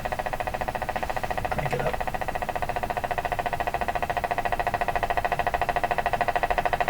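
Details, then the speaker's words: Canadian Spartan Model 5542 tube radio with a new power cord and restored speaker cable, brought up on a variable supply with bulbs in series to about 100 V. A steady pulsing thump of about 3.5 beats per second rides over loud hum: motorboating oscillation, cause unknown. "get to 100 volts she's really pounding now so that didn't help"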